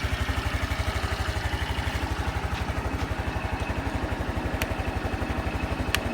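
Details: Honda Super Cub 110 JA07, fuel-injected, fully stock, start-up check at idle: even, evenly spaced low putts with no knocks or rattles on top; a normal, healthy idle with no abnormal engine noise.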